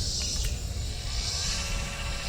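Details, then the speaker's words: Telescope mount with a suspected dead RA motor: steady even high-pitched whine as it slews in declination, no catching or grinding; Dec motor working, while RA gives no sound. Normal motor slewing. "moving so deck motors working"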